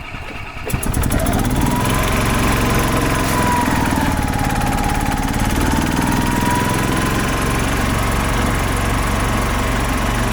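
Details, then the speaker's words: 2005 Club Car Precedent gas golf cart started after about 5 years sitting, given some choke. It catches within a second and settles into a steady, even idle with no knocks or misses; oil light off, so it has oil pressure. "wow that RS good oil light is not on so that's good it's got oil pressure"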